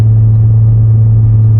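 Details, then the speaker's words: Higher-mileage car driven in second gear at low speed for an injector-cleaning drive: steady, even low drone under light load, no backfire, stumble or misfire, so no vacuum leak; running cleanly. "And like I say, if it had a vacuum leak, at low speeds it might backfire, stumble. It's not doing any of that stuff."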